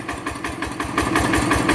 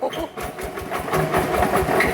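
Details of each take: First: Rebuilt Yanmar TF85 LM single-cylinder diesel, original piston rings, owner says it burns no oil, slight exhaust smoke. Even, steady thumping at about six beats a second with no knocks or misses: normal running. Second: Yanmar TF85 LM single-cylinder diesel before a rebuild, reported to have a noisy bearing: idle chugging with an uneven, loose knock under each firing beat. The fifth crankshaft roller bearing is worn or broken.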